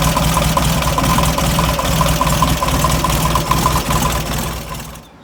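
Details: VW Beetle with a 1.5-year-old engine of about 8,000 miles, idling while warming from cold: steady knock of two to three per second that sounded like a rod but came from the failing old alternator.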